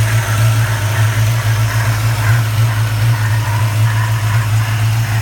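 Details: 1994 Chevrolet Caprice LT1 V8 at idle, recorded under the hood: low, even hum with a soft airy rubbing whoosh; cause unknown, owner seeking input; whooshing rubbing noise.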